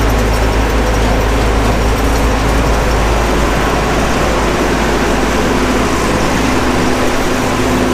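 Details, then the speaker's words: Gleaner F combine after separator clutch shaft bearing replacement, separator engaged: heavy diesel drone with separator turning steadily, no rubbing, squeal or knocking; pulley no longer rubs, slight vibration blamed on the engine; drive sounds right. "I like the fact that that pulley doesn't rub anymore me everything sounds like it should"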